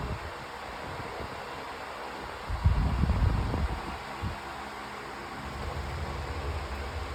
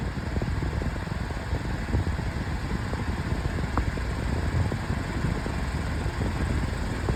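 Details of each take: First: Pedestal fan on high speed with oscillation on: steady, even airy rush with low motor hum, no ticking or scraping; loud but usable, speed slowly building, pushes a lot of air; normal fan. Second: Metal-bladed pedestal fan on high: steady rush with a rough, uneven flutter and scattered light taps; loud metal fan, blade out of balance.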